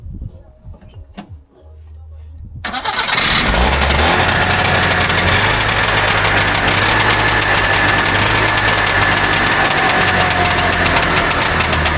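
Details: Trabant 601 two-stroke, recently bought, with a rust-seized wheel brake cylinder stopping it rolling: catches after a short crank, then uneven, lumpy running without a clean idle; owner says it doesn't run right; cause not confirmed.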